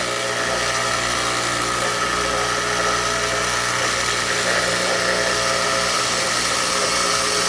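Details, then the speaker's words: Kenmore Elite HE3t washer after disassembly to fix a no-drain, no-spin fault: steady loud whirring hum of the drain pump running through the spin, louder than remembered, owner guesses something was sticking in the pump fan; now draining and spinning normally. "listen okay that must be pump making all that noise maybe this was sticking in the pump fan and I don't know I'm just guessing but I don't remember it being that noisy"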